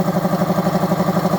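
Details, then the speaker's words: Air compressor running after its motor capacitor leads were rewired correctly (they had been jumbled): steady pulsing hum with an even low pump thump, no knocks or squeals; running smoothly and fairly quietly. "Actually, that's one thing I really liked about this compressor is that it's actually pretty quiet."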